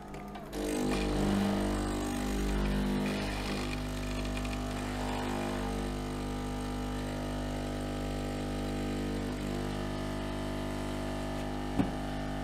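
Steady, even pump hum with a constant low tone through the cycle and no grinding or knocking; the brewer is running normally.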